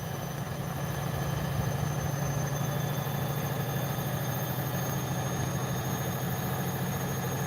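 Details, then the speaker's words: Bosch WAE24364GB washing machine after a new motor was fitted, on a live wash test at high spin, around 400 to over 500 rpm: steady low hum with a faint high whine, drum spinning smoothly and tripping nothing, a normal spin. "All right, let's see how it gets those on the high spin. It's about 400, I think. Name is Jack or Jack's and Jack's Bosch. It's above 500 now. It's not tripping anything."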